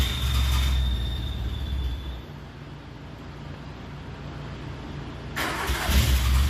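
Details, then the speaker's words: Le Car, an old French car, coughs and catches briefly, sputters unevenly and dies while trying to start. Owner suspects fouled plugs and a wrong fuel mixture, with some flooding. "I think we failed the plugs we don't have the fuel mixture right I did have some over flooding"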